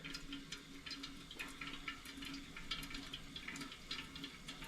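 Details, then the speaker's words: Vintage yard-sale Preway (Prentiss Wabers) camp stove, restored, making coffee in an old drip pot. Soft, steady trickle with no gurgling or stalls as water passes freely through the drip basket, not slowed by hard-water clogging: normal drip flow. "I'm not sure if the camera can hear it but I can hear it trickling through there"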